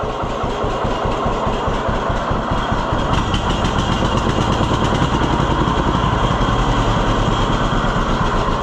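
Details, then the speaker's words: 1948 John Deere B tractor after Wico X magneto work fixed its ignition: slow, regular two-cylinder putt near 160 beats a minute settling into a steady run. It now idles cleanly and lower than ever. "What you're doing is you're giving it more fuel, so it's easier to ignite, which covers up the ignition problem. But this thing's idling awesome now."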